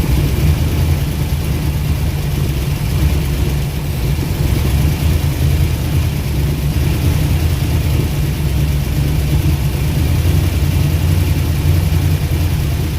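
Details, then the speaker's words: Ford Mustang 289 V8 abandoned over a decade, first run after fuel pump trouble: a steady low idle with rhythmic chuffing as compression escapes, smoking from both sides, oil pressure suspected absent; blown head gasket suspected. "puffing like a choo-choo train. Looks like it's got a blowed head gasket, y'all. A lot of compression coming out."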